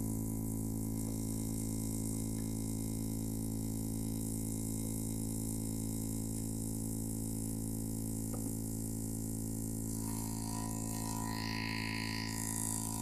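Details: Opel Astra H with a CD30 MP3 head unit: a constant deep buzzing hum with stacked low tones comes through the loudspeakers without changing; interference noise in the audio system.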